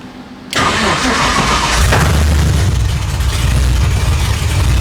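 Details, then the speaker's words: Holden Ute supercharged V8 (F1A blower), 4L80 transmission, 1 7/8 long-tube headers, Holley Dominator ECU, tune still unfinished: starter catches, engine fires and settles into loud, lumpy, deep steady idle; normal start and idle after rebuild. "So like I said, when we talked about lowering this thing, we actually do have it running now. So I'll go ahead and fire it up and let you guys hear it."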